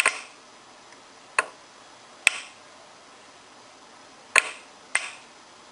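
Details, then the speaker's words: Solenoid valve on a transistor cascaded switching circuit for a Digilent Uno32, 12 V supply on, input touched with a AA battery pack: sharp clicks as the valve pulls in and drops free when released, with the LED lighting. Normal actuation. "So we're going to touch the ground here, and then there's the LED on, and the valve is active. When I pull it free, it drops free."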